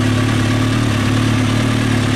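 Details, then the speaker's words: 2003 Kawasaki ZX6R inline-four at warm idle, fan on, after resetting the timing chain tensioner: steady, even smooth low hum with no slapping or ticking on top, no smoke; only a small coolant reservoir leak; healthy. "so yeah the fan kicks on when it should small coolant leak from the reservoir and it's not smoking so i think we got a good motor here sounds good after i reset the timing chain tensioner sounds great"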